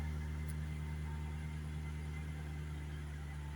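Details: Jaguar XK8 with intermittent no-start, starter relay suspected, after sitting two weeks: started on the second try and now holds a low, even idle hum with no stumbles or misses.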